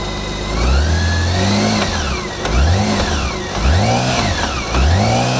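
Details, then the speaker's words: 2016 BMW K1600 GTL-E on its center stand, in gear with the clutch released: the engine revs in bursts with a rough rattle on each rev in third gear. A stethoscope places it in the transmission housing, not the alternator or final drive. Gearbox fault suspected. "makes a good noise and third makes it little rattle and third listen to this"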